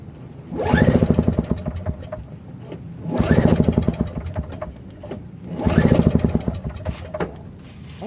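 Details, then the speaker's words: Old Craftsman 5HP single-stage snowblower with Tecumseh engine, pull-started with choke left off: three quick chugging spins about 2.5 seconds apart, never catches; owner later found choke off as the cause; cranking no start. "I noticed that the choke was off well that's why it didn't start for sure"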